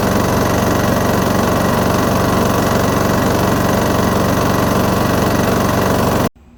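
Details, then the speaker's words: Briggs & Stratton lawn mower engine run 8 years on its original oil, during the second STP engine-cleaner flush, smoking badly: steady fast light tapping over the engine note. Engine tapping, possibly top-end/valves. "you can hear this thing tapping away so i mean it i think it's just shy i can't believe it still runs"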